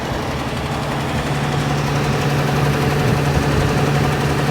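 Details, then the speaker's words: 1969 Ford Bronco with new intake and carburetor, just running after fuel pump wiring fix: steady fast idle with constant low drone that never drops back. High idle because throttle linkage is not letting the throttle close; linkage to be adjusted. "So I'm gonna fiddle with this linkage and adjust it up a little bit because it's not letting it close all the way to go back to this idle speed."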